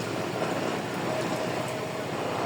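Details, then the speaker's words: Honda PCX160 scooter that would only crank and not start, now running after the fix, no check-engine light: even constant engine drone without stumbles, pops or rattles; runs smoothly. "So yun umaandar na siya Okay na"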